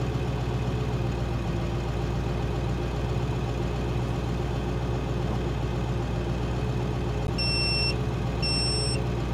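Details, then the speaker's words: High-mileage Ford 7.3 Powerstroke diesel idling, crank voltage 10.6 V but alternator not charging: two long shrill beeps from the audible voltmeter warning of falling voltage; fix is a one-wire alternator. "so this is the audible feature in our in our voltmeter in that as you're driving down the"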